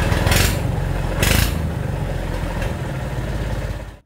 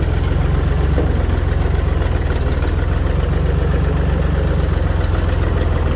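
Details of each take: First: Tractor straight-piped after muffler rusted off at the weld while dragging debris with rake; loud, raw, crackly exhaust bark with uneven pulses over low rumble; missing muffler. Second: Tractor running after its rotted-off muffler was replaced with a new one with added welded support; deep, steady low thump with no rasp or blatting from the exhaust; the new muffler is doing its job.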